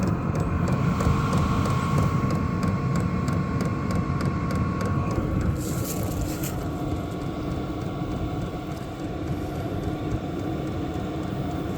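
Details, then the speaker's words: Vevor 8 kW diesel air heater running off a battery, half tank of fuel, no outlet duct fitted: steady rush of blower air over a low exhaust rumble with a faint regular fuel pump tick; running normally. "I can smell a little diesel exhaust, guys, but it's really not bad. I don't know if you can hear the fuel pump running."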